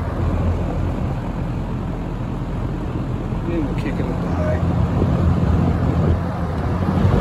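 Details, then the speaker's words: 1970–71 Windsor (Lakewood P-21) vintage box fan, dirty windings, slightly unbalanced blade, starting on low speed; low rumbling hum swelling smoothly and evenly as blades come up to speed; normal fan startup. "uh here is startup on the low speed"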